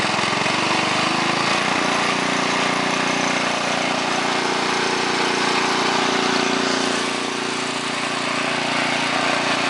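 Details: 1969 Yardman Snowbird 7040-0 snowblower, 5 hp single-cylinder engine, started on full choke: steady fast beat with even exhaust note and no knocks; normal running.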